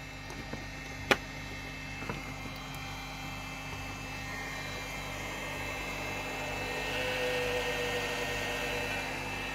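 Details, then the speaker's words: Cooling fan in a Chinese battery charger before lubrication: steady rushing roar with a thin whistle swelling louder over several seconds. Dry, dusty fan bearing; oiling the fan stopped the squeal. "как он ревет поэтому ролик будет на тему смазки этого кулера cooler от этого зарядного устройства по русски вентилятора"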